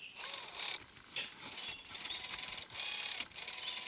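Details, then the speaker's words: FMS FCX10 RC crawler, fresh out of box: rapid high-pitched ratcheting chatter in short bursts on power; slipper clutch set too loose and slipping, gearbox also not engaging properly. "Ah, ça va pas, ça va pas. Elle est mal réglée. Bon bah là, ça va patiner encore."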